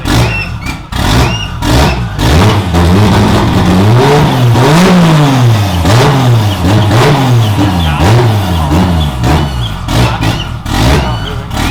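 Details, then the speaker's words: 2JZ-swapped BMW E36 after oil cooler line replacement: engine note swings up and down as throttle is blipped to keep it running; won't hold a steady idle on its own. "yeah we need to fix the idle because it's really annoying trying to rev it up and keep it idling while trying to put the gears"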